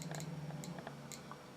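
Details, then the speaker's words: Repaired 1960s–70s Soviet DP-5A Geiger counter with a pitchblende uranium ore sample: sharp random ticks, about six in under two seconds, over a faint low hum; the counter responds normally. "okay so that's that's clicking away now"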